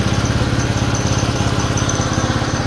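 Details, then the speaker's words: Honda GL Pro single-cylinder motorcycle after a new CDI was installed (the old CDI had burned out): steady, even putt-putt of about eleven firing pulses a second with no misses or stumbles; a clean, healthy idle. "Menyala ya kak ya? Menyala. Terdengar ya kak suaranya? Jadi memang problemnya kemarin tuh CDI-nya memang meleduk kak."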